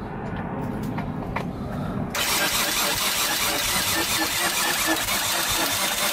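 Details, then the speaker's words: Rebuilt Nissan RB25 engine, first start: crank angle sensor unplugged to prime oil, so the starter churns steadily at a brisk, even beat without firing; the later no-start was traced to an unattached wire. "so I'm gonna prime the engine first so I've unplugged the crank angle sensor and that'll allow me to like crank it over"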